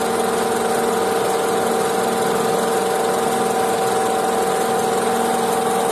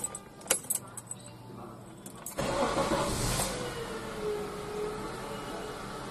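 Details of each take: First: Honda CR-V at idle, traced with a stethoscope from under the lifted car: a faint, constant mid-pitched whir above the engine and fan; worn belt tensioner pulley bearing, fixed by replacing the bearing. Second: Honda CR-V after replacing the belt tensioner pulley bearing: a few handling clicks, then the engine starts and settles into a smooth, even idle. The earlier tensioner noise is gone. Normal idle after the repair.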